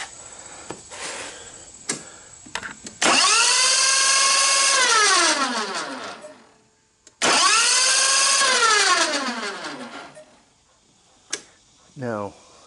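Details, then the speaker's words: Briggs and Stratton 27 HP commercial two-cylinder air-cooled engine on a 72-inch Simplicity zero-turn mower, under 130 hours, oil at low add line: cranking with plugs out, starter whirs up smoothly and coasts with no compression chuffs; thrown rod, broken cam. "though the plugs are out it doesn't sound like it's turning anything and if you put your finger in the hole where the plug is it doesn't feel like it has any compression"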